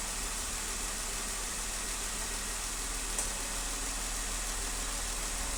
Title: 2015 Wrangler Cylinder 1 Misfire